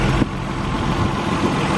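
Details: Warm idle (after about 7 minutes warm-up) of an R32 Nissan Skyline just fitted with an Apexi power intake pod filter: steady, even idle with a soft airy intake-sucking hiss over the low rumble; normal, healthy idle.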